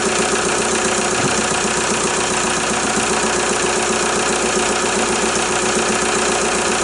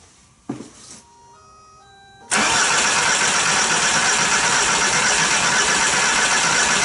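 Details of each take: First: VW Jetta A3 TDI diesel after a glow plug harness replacement: a steady, even idle with light regular clatter and no stumbling or misses. It needed some cranking before it fired; it now runs normally. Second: VW Jetta A3 TDI diesel after glow plug harness replacement, injector line left loose for bleeding: a few dash chimes, then long steady cranking that does not catch because of air in the injector lines; fuel later seen at the loose line.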